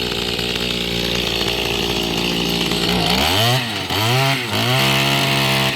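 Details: Mantis tiller two-stroke after a carburetor fuel-pump diaphragm replacement: it buzzes evenly and revs rise and fall cleanly with no bogging or misfire; it runs healthy.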